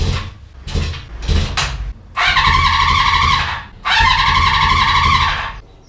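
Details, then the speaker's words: Honda motorcycle with fuel tank disconnected, carburetors filled with fuel by hand for a test start: several brief starter bursts, then two longer cranks of about 1.5 s each, never fires; owner suspects lack of fuel supply. "no I think I know what it is my theory about carbs filled with gas not right I think the bike oh just won't start because it don't have any fuel"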